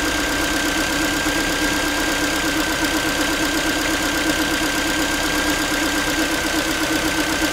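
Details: Ford Focus 3 1.6 (125 hp) just after cold start, idling: light tinny, pan-like metallic tapping about three beats a second over a steady hum; owner unsure of the source.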